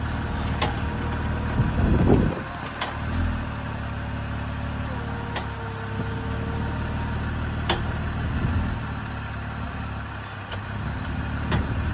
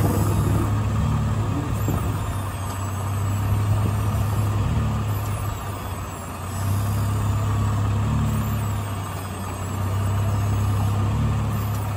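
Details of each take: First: Jeep with Teraflex Alpine IR track bar, about 1.5 years old and second unit, tires on the ground with engine idling: steering worked to replicate sharp irregular clicking from the worn track bar joint. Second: Jeep on a test drive in a dirt lot, turning to recheck a second Teraflex Alpine IR track bar that had been clicking and clunking. Engine rumble only, with no front-end clicks or clunks heard this time.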